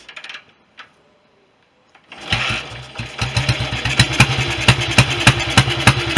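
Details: BSA B31 single with magneto ignition, first start after restoration on thin 30-grade oil, no air-filter gauze: catches and thumps about three beats a second, unevenly spaced and lumpy; carburation and ignition still need sorting.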